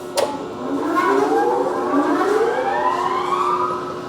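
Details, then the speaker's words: Model 476 shrinker/stretcher machine switched on at high speed; after the breaker click, a clean whine rises steadily in pitch as the motor spools up, smooth with no grinding; normal running at high speed. "So there you can see that it's that's high speed."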